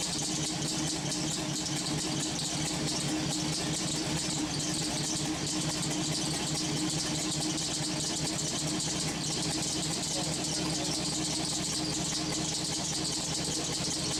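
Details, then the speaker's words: LS-swapped V8 on homemade headers, restarted to warm up, steaming: a steady, even idle with a constant hiss and no misses, ticks or knocks; normal idle, running well. "She seems to be running great."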